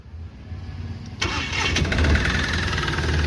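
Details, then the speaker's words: Mahindra Supro diesel with injector code P0201, after a broken wire was reconnected; weak cranking for a few seconds before catching into a rough idle; loose common rail connector and touching wires blamed; hard starting. "व common rail ढीला है जिसके कारण से यह कर रही है"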